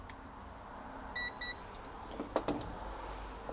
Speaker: a continuous electrical connection it'll make a beeping sound like this